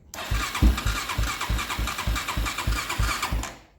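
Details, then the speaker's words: 2001 Honda 400EX ATV after engine locked up and was freed by turning backwards 1/4 turn; owner suspects one-way bearing, cause unknown: engine catches and chugs at loose uneven three beats a second, then cuts out. "So I don't know if the one-way bearing may be locked up, or I'm not sure what's going on, but now it starts and runs again."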